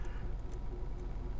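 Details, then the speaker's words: VW Golf Mk6 1.4 TSI at idle: faint light ticks every half second over steady hum, no misfire; owner suspects timing chain or pulleys, before timing chain change. "there it's just you can hear the change going around it's [ __ ] about it might be the chain or it might be the police"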